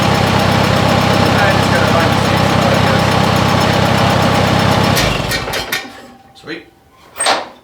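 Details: 1957 Oliver OC-3 track loader after a new muffler and rain cap were fitted to quiet it; steady, even idle with a fairly soft exhaust beat of about four pulses a second, then the engine shuts down. Normal idle.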